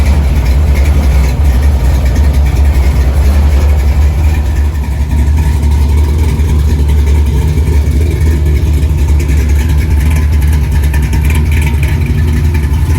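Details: 1964 Chevy II Gasser, LS V8 swap with Holley Terminator X: deep loping choppy idle, steady and even, no knocks or misses, set at 950 rpm (owner wants 800); normal idle.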